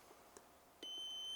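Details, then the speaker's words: Car tail light bulb tested with multimeter continuity mode: clean steady high beep when probes touch, filament intact; the other bulb gives no beep and is bad. "And now I do again, and in here first one, and now we can hear the sound. It means that this is okay, but that one, okay, that one is not."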